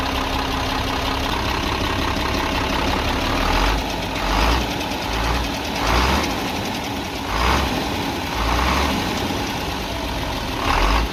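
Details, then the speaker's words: Cummins 340 hp 24-valve diesel with manual (non-electronic) pump in a truck that suddenly lost pulling power and smoked, idling with a light tick-tick over the rumble and a surge about every second; excessive tappet clearance suspected, tappet cover to be opened. "बहरहाल इसमें आवाज जो है वह टिक टिक की आ रही है तो फिलहाल के लिए हम इसका टपट कवर खोलेंगे"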